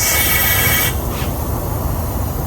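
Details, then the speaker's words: Big-turbo Mitsubishi Evo during a boost leak test before its first dyno pull: a sharp high hiss over the engine's low rumble, then fading; boost escaping past the rubber O-ring of a previously adjusted screw. "You hear that? Something back there hissing. Oh, that bit screw."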